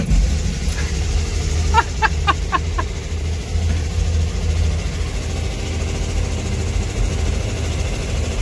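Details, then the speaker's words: 1964 Chevrolet Corvair, just after cylinder head reinstall with new rings: loud raspy lawnmower-like idle with hard bark and a few sharp pops; owner suspects exhaust leak, not confirmed, tightened exhaust-pipe-to-manifold bolts without clear change. "That thing is loud as hell. I must have an exhaust leak or something. Jeez. Sounds like a lawnmower."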